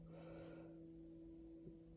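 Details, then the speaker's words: 2018 Jaguar XE S 3.0 with ZF8 gearbox in neutral, entering rear-brake maintenance mode: with the accelerator pressed, a faint steady electric motor hum comes from the rear calipers as the park brakes release normally. "Press your foot on the accelerator, you'll hear the brakes come off, you'll hear the motor noise."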